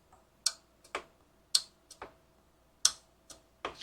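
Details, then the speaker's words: Husqvarna riding mower that wouldn't run: at key-on the carburetor's anti-backfire fuel solenoid gives sharp, crisp ticks in a quiet room, one or two per second, snapping open to let fuel to the jet as it should. "that is the sound we want when you first turn the key on this little solenoid pops open it sucks a little piece down in there and lets gas through to the jet"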